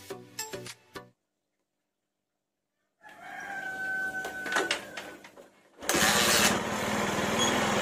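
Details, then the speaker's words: Honda Megapro mono whose throttle response was delayed and bogging, after carburetor vacuum diaphragm replaced with imitation part; single starts at once, idle lowered, quick throttle response without hesitation: normal start and idle. "hidupnya sangat mudah ya ini gasnya kebesaran tinggal kita putar ke kiri kita kecil Nah untuk respon dari gasnya ini sangat cepat sekali ya enggak ada nyendat-nyendatnya"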